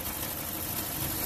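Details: 2005 Dodge Neon 2.0L 16-valve inline-four, cold idle: rough, uneven, stumbling beat from misfires; one cylinder suspected low on compression, and a coolant colour-change test indicates a leaking head gasket or warped head.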